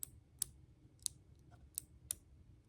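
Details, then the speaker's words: 2007 Acura TL cruise control on/off steering-wheel switch: light sharp clicks about every half second with no firm latching snap. The switch's internal locking tab is broken, so it won't stay on; the circuit works if held. "Doesn't lock. You can hear it trying to lock, but it doesn't stay."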